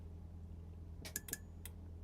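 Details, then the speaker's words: Electronics unit after its voltage regulator was replaced: a few quick sharp relay clicks over a low mains hum at switch-on, but the unit doesn't come up. Relay clicking at power-on with no display; not thought fixed, cause still unknown. "It goes click click. I can only see one one relay, though."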